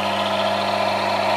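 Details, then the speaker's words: Automatic transmission fluid friction test rig, load being increased: steady drone with thin hiss and rasp rising as pressure grows; lubricant film breaking down into metal-to-metal friction, leading toward high wear and cold welding. "We have fluid friction now, but as soon as I increase the pressure there is friction, you can hear it in"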